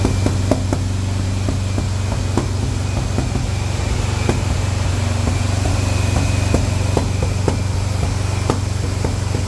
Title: misfire during break-in run was really bugging me. Plug wire on #4 was the culprit.